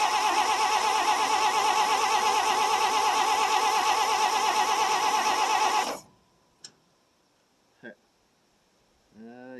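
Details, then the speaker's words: 1957 International S120 4x4 pickup after about 4 years sitting, cold start, gas poured in, coil suspect, possibly too much resistance through the resistor: steady starter cranking for six seconds that never fires; no start from weak spark. "so it's got weak spark it still won't run"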